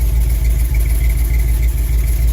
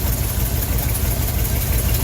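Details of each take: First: Older car or truck recorded at the tailpipe after the ignition tune-up and the throttle tapped: steady, even idle with a smooth low pulse and no misses or stumbles; normal idle after the tune-up. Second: Older car or truck with a vacuum-advance distributor, warm idle after an ignition tune-up, timing being set by ear without a timing light: lumpy, stuttering, uneven idle instead of a smooth beat; rough idle from incorrect ignition timing.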